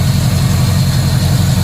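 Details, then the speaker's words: 2007 Cadillac Escalade EXT 6.2L V8, idling after about 2 years parked, with no smoke at startup and no engine noise, though it needs a transmission; deep, smooth, even rumble with no ticks, knocks or misses. "Thing didn't smoke when it started. It's not making any noise."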